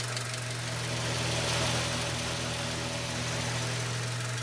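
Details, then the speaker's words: 2000 Honda Civic LX that severely overheated, already repaired and running, warming up to operating temperature before a compression test: smooth, steady warm idle, even low hum, light valvetrain tick, no misses or knocks. "first thing we want to do get up to operating temperature which I'm doing now typically that means that our cooling fans came on"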